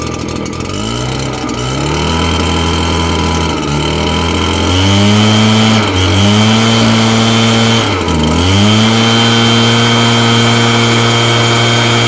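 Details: Red Max two-stroke blower after replacing the fan that vibrated in its housing, first start: fires, revs up and down, then holds a smooth steady drone with no rattle; running normally.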